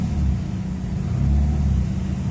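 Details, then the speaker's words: Honda City ZX with jerky gear engagement, idle tested with headlights and electrical loads on: low idle sags and stumbles when put into gear; rpm drop, throttle body cleaning and coil testing planned. "ก็คือก็จะมีการตัดครับเวลาเข้าเกียร์รอบตกแบบกระดิ่งเห็นเลยอ่ะ"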